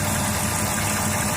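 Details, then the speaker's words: 2008 Dodge Caravan wheelchair van, 3.3 V6, 337k miles, believed rebuilt transmission, heard under the hood: smooth, steady idle with low hum, no knocks, misses or ticks, no smoke, small valve cover gasket leak only; normal idle. "The engine idles smooth. Has a 3.3 V6 in it. Still sounds good."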